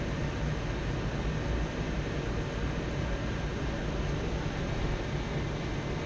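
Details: Dyna-Glo Pro 135,000 BTU forced air heater fired up after cleaning, air pump pressure spec 5.5 psi; steady, even burner and fan roar, no sputtering, surging or popping, running normally.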